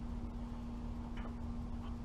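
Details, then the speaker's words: Allis-Chalmers tractor being prepped for a threshing show: steady low engine drone with faint quick ticks as the alternator fan lightly hits the hood; fan needs adjusting. "well as you guys can probably hear the alternator fan is hitting the hood just a little bit so i'm gonna have to adjust that"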